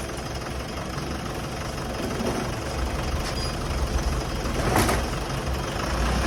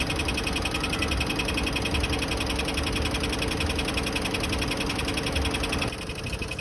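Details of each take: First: Mitsubishi Montero 4D56 diesel after flywheel repair and reassembly: even idle clatter with the earlier engine ticking gone. The faulty flywheel had caused the noise. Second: Mitsubishi Montero 4D56 diesel idling: loud, sharp regular ticking at 2–3 clicks per second, no pressure at oil cap; consistent with a cracked flywheel.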